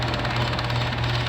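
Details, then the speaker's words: Garage door opener that had stopped working, limit switch suspected, motor pulley turned smooth by hand, now plugged back in: steady low motor hum with an even drive rattle, no grinding or straining; it runs healthy. "it sounds healthy running it really does it sounds perfectly healthy running"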